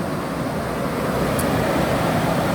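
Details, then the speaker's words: Carrier Infinity 58MVC080 furnace installed in 2012, about 7–8 years old, after flood repairs (gas valve, inducer motor, pressure switches, circuit board): a smooth, steady roar of airflow and burner with no knocks or surging, running normally. "This is a this was installed in 2012, so now it's November 2019, so it's only 7 or 8 years old machine, and it's running pretty good."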